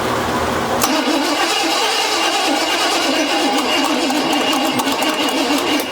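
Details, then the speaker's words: Chevy C10 square-body with once-seized 5.7L 350 V8, first start attempt after sitting: steady fast cranking with no firing; owner suspects junk rebuilt carburetor flooding the engine with gas, may pull the carburetor. "I think it's flooding it. I think that carburetor that carburetor's junk. Yeah, that carburetor's it's just flooding the engine full of gas."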